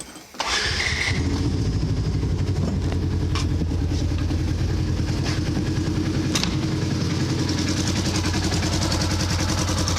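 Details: 2014 Polaris Ranger 900 XP with code 636, stalling when warm: engine catches and settles into a steady, slightly uneven idle; faulty crank position sensor wiring harness the cause, repaired.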